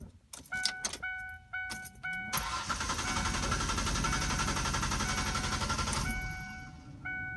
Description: 2002 Explorer Sport Trac won't start. Appears to be fuel pump problem since the battery is new and a jump attempt didn't fix it.